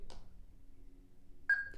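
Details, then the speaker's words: ERA-VPRX portable doorbell receiver: holding up and down arrows together gives one short high beep in a quiet room, confirming the keypad safety lock is released before programming. "now you hear that quick beep sound the lock has been removed"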